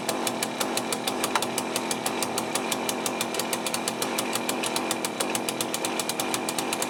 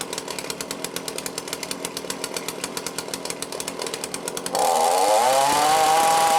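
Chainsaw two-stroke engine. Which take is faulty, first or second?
first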